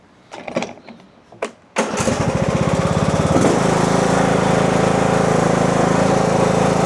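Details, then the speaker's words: Husqvarna 42-inch riding mower deck with blades engaged: a rough, shaky drone and visible shaking; the spindle stops while the blade keeps spinning, caused by a broken pulley and an incorrectly installed loose pulley. "So you see it's shaking and you see the spindle is stopped, but you can hear that the blade is still spinning, so it's loose."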